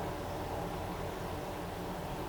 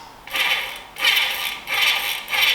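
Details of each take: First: Trek with Bontrager freehub, wheel freewheeling: a steady, rough, grumbling hiss with no clean ticking. Bearings feel graunchy and tight, and the pawls have lost their spring. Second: Trek bike with a Bontrager freehub, after the freehub was serviced because its grumbling pawls had lost their spring. Light, fast, high-pitched ticking in smooth bursts as the wheel coasts; the freehub now sounds quiet and healthy.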